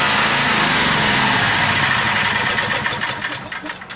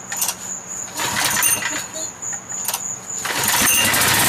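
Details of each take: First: Small generator engine running on propane or natural gas, cold start with choke: it runs hard, then sags and stumbles, its speed wandering rather than settling; cold engine hunting on start-up, cause not confirmed. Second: Generator started cold on propane or natural gas: a pull or two, then the engine catches and holds a steady, even roar for several seconds; normal start and run.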